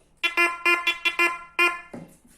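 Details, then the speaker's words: Gold-prospecting metal detector in discrimination mode 2: sharp high-pitched beeps in quick bursts, about seven in a second and a half, as metal passes the coil; normal target tone. "aqui ele tem ó esse é esse barulhinho Vocês estão ouvindo eu vou botar aqui de novo"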